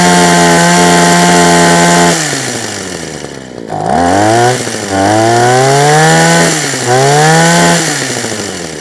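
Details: Husqvarna 123HD60 hedge trimmer, unused for a long time: two-stroke revs sag, surge and fall back in repeated waves instead of holding steady; rough running, suspected carburetor diaphragm, not confirmed.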